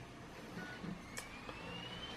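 A faint whir rises in pitch as the disc spins up, with light ticks over a quiet room. The drive is reading normally.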